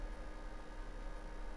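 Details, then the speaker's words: Skytech SPL700 power amplifier after channel and potentiometer repair, before fan control install: steady loud cooling fan rush at constant full speed with no thermal control; fix is adding a fan control module starting fan only above 30 degrees. "i have to repair this and i have to solve the noise for the cooler you can hear it"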